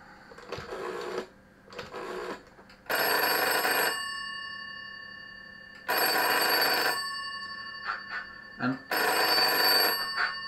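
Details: GEC-made telephone 706 clone with a newly wired line cord, being called: clean, strong bell rings in roughly one-second bursts every three seconds, steady and even; ringer works properly.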